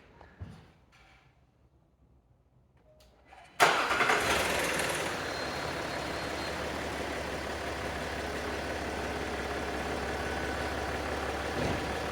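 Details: Land Rover Discovery 4 3.0L SDV6 diesel, loud rattle addressed by replacing auxiliary belt and tensioner: quiet handling, then engine catches at once into a steady even idle with no belt-drive rattle; normal idle.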